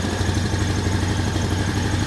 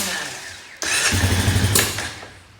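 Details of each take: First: 2001 Honda Foreman 450 ES ATV after sitting a while, air filter trashed, electric shift not working: a steady, even single-cylinder idle putter with no knocks or misses; engine runs healthy. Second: 2001 Honda Foreman 450 ATV after sitting, barely any fuel in tank, not taking throttle well: fires briefly with ragged, uneven burst for about a second then fades and stops; owner suspects it ran out of fuel.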